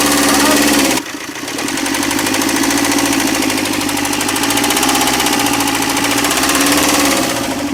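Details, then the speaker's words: Tata Zest diesel idling with a sharp thak-thak knock, three or four a second, despite earlier timing chain work. The knock lessens when an injector wire is unplugged, and a makeshift crank-related shim fix lasted two days. The thermostat switch is broken; the cause is unconfirmed. "लेकिन गाड़ी के अंदर एक ठक ठक करके आवाज आ रही है और नंबर इंजेक्टर की वायर खोलने से जो साउंड है वह कम हो रहा"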